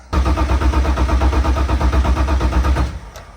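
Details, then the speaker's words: Crashed BMW E46 drift car: strong, even cranking for nearly three seconds that never fires, then winds down; it cranks but won't start, and the owner suspects it is out of gas. "sure has a raw milk that sounds healthy bro it just won't start yep we're going home"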